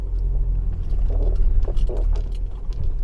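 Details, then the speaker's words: 2015 Audi A4, 83,000 km, microphone held at the suspension on a downhill: short squeaky creaks with body movement over low road rumble, both sides, worse when cold, over bumps and braking; like bushings rubbing, control arm bushing suspected. "相当明显。再下一下，听见了吧？两边都响。就像胶套在那摩擦的。"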